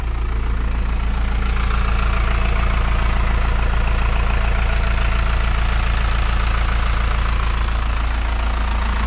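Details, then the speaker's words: Isuzu NPR cab-over 4-cylinder diesel truck revived after sitting for years, jump-started, warming up with cab tilted: steady even idle, smooth low rumble and regular firing, no misses or knocks, no leaks; healthy. "It's sounding really good. There's no leaks. It's warming up fine, and we'll see if this thing moves a little bit forward and back."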